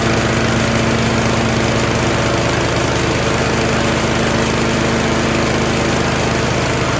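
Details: Yard Machines 13.5 HP Tecumseh 38" riding mower, after fixing slow cranking: steady single-cylinder chug at constant speed, no misfires or surging; running cleanly, charging 13.5 volts.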